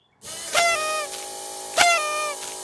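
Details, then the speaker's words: 1989 Foxbody turbo build, new fuel system with the pump jump-started from a battery: a steady electric hum with a hissy rush of fuel returning, pump priming normally; a leak was then found, suspected at an unseated injector O-ring. "Okay, fire in the hole. Well, it sounds like it primed."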